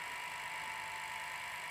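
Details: Sony SL700ME multi-format Betamax VCR (711B3-type deck), long unused, during playback: steady gritty high whir with thin whistle; badly worn video head drum bearings make the machine very noisy.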